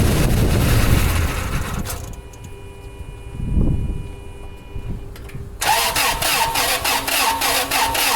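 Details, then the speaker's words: 2002 Toyota Sequoia crank-no-start with no codes, on a jumped flat battery. Erratic, lumpy cranking cadence; it catches briefly, dies and cranks again. Fuel odor in the oil suggests cylinder wash; engine damage not yet checked. "It did crank and it started and then it died out and it sounds weird."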